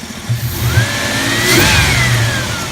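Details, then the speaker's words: 4.0 engine revved up and back down, rattle usually appearing around 2500 rpm and faintly at idle: a rising whine with a rattly edge; owner suspects the belt tensioner, a starter spring or a heat shield. "apparently a spring and the starter can go bad and can rattle under acceleration which is exactly what this is doing"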